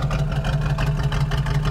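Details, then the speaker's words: Small block Chevy 350 V8 with Quadrajet carburetor, timing set to 12 degrees initial and idle turned down, idling at a guessed 550–600 rpm: low, even, steady burble, no misses or throttle lag. "You see how it's just kind of nice. Now, I don't have a tack in this car set up, but if I were to guess what the idle is right now, I'd say it's 55600 RPM. It's just sitting here. It runs nice. It's smooth. There's no lag in the throttle."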